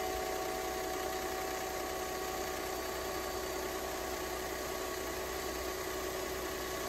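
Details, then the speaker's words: 1998 Mercedes-Benz CLK 320 at first start after an EGR valve replacement, battery having been disconnected: a coarse, uneven, tractor-like chugging idle with a faint hiss over the hum. The speaker suspects an exhaust leak. "thing sounds like a tractor there's a car somebody there's a leak in the exhaust somewhere in there"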